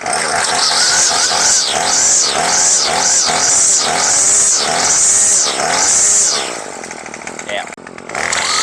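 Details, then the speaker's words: Craftsman gas string trimmer, two-stroke, previously hard to start and would not rev, after a new carb kit with no carb adjustment needed. Crisp throttle blips about once a second, climbing cleanly; starts easily and runs healthy. "Seems to be running good. Idles up, starts pretty easy."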